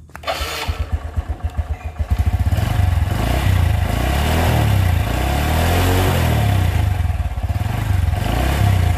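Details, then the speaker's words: Motorcycle that lost compression from water-contaminated oil, after repair with coil relocated; starts right away on the electric starter, then settles into a slow, loping idle that is too low and needs the throttle idle raised. "langsamnya seperti kerendahan ya minta ditinggikan sedikit untuk daerah gasnya"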